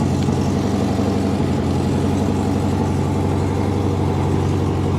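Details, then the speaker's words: 1971 VW Super Beetle after the idle jet was turned out 1/8–1/2 turn and set with threadlock: it starts right up into a steady, even low idle putter with no misses or stumbles. The fix proved inconsistent later. "So that sounded like it started right up to me."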